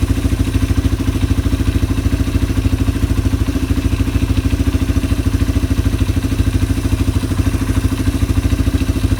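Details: Yamaha ATV (four-wheeler) carburetor just cleaned, reassembled and float-adjusted, no fuel from overflow; engine idling to clear leftover WD-40 from the carb. Steady single-cylinder thump about 200 beats a minute, even, with light mechanical clatter on top: normal idle.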